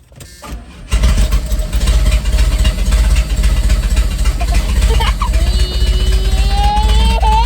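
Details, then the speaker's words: 1991 GMC Sonoma with a swapped-in V8, first start at home: it catches and settles into a deep, slightly uneven idle with a faint wavering lope; running rough, cause unknown. "Here she is in all of her glory. Running a little rough, but found the"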